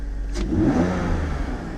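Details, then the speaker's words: BMW E46 325ti, M54 straight-six, after crankcase ventilation (CCV) delete with catch can install and idle control valve cleaning (previously running badly, high oil consumption): engine blips and climbs quickly and cleanly, drops back smoothly, revs far more freely than before; slight known top-end tapping; normal free revving. "There's a little tappy tap on the top, but I know about that. Wow, that revs so much better."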